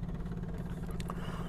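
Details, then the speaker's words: RV generator after its carburetor main jet and float bowl were cleaned and the bowl emptied: the prime button is pressed and the electric fuel pump gives a steady, slightly pulsing buzz whose note changes as pressure builds. Normal fuel pump priming. "so we can hear the pump running the note has just changed so it shows it's building pressure"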